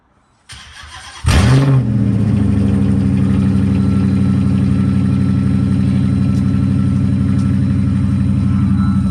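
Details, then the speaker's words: Straight-piped Dodge Charger R/T HEMI, cold start after sitting a while: catches with a flare, then a deep, loud idle with a thin steady whistle on top; owner suspects a worn belt. "My shit whistling. Like, bro, why is my car whistling? Like, it sounds so good when it's not whistling."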